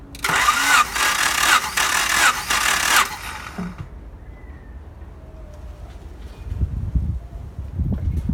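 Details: 1992 Honda Accord four-cylinder cranking with ignition wiring disconnected during a compression test, about three seconds of steady, even starter cranking with no firing or missing beats; about 190 on this cylinder, good even compression.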